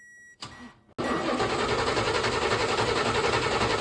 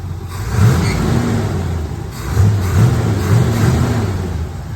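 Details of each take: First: C3 Corvette carbureted engine, died on the road, fuel present: steady starter cranking about four turns a second, never fires; no spark, coil voltage 8.2 V while cranking. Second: C3 Corvette that died with no spark, just after replacing the four-pin ignition module: engine catches and runs on its own, a couple of throttle blips rise and settle cleanly with no misfire or stumble; normal running after repair.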